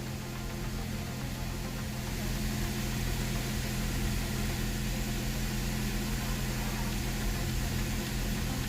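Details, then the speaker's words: Chevrolet Cavalier LS Z24, manual, just after alternator replacement: smooth even low rumble, idle slightly high, owner suspects from cleaning the intake; brief squeak heard at first start, no charge light; normal idle. "The idle's a little high. I think maybe because I cleaned the intake."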